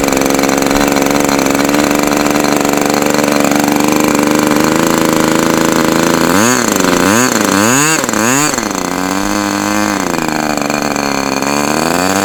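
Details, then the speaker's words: OS Max H60 model engine, first outdoor run, possibly mismatched No. 72 carb: high buzz climbs, pitch swings up and down about once a second; surging, fuel spraying out. "so it's strange I saw a whole bunch of fuel spraying up out of here so it's like it seems like it wants to start running but then it just gets too"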